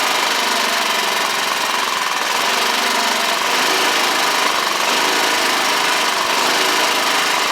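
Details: Honda HR215 walk-behind push mower, after no-start repair: steady, even small-engine drone at constant speed with no misses, surges or knocks; normal running.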